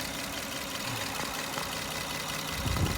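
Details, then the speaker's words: 2003 Lexus ES300 V6 idling with a light, steady click-click from the top of the engine, a ticking stuck or collapsed lifter. "Okay guys, I got a 2003 Lexus ES300. You can kind of hear that click, click, click, click, click, click, click noise."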